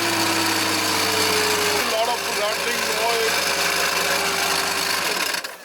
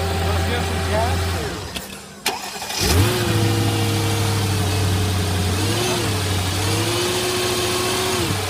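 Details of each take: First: Mercedes W220 S55 AMG, 5.4 V8 supercharged M113K, engine running: fast metallic chatter with a wavering high squeal from the supercharger pulley; failed supercharger pulley bearing, to be replaced. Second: Mercedes W220 S55 AMG, 5.4 supercharged M113K V8, after supercharger pulley bearing replacement: cranks and catches at once, smooth steady idle, no bearing whine or chirp; running healthy.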